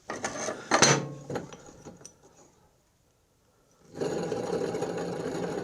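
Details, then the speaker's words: John Deere LA145 mower deck idler pulley spun by hand with the belt removed: dry, steady gritty rasp from a rough, worn idler bearing; all idlers being replaced. "see we get the belt away from that idler don't like that one"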